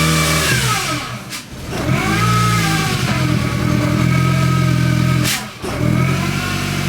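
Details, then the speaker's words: Supercharged R53 Mini Cooper idling in driveway after replacing one sensor, codes not yet cleared: revs surge and sag unevenly, twice dipping hard as if about to stall; rough stumbling that was absent on test drive, cause unknown. "see it is way way not happy I'm going to clear the codes and try again my kid had me change the Hat you know what's crazy when I test drove it before I bought it it did not run like this so it's like almost feels like it's dying in my driveway"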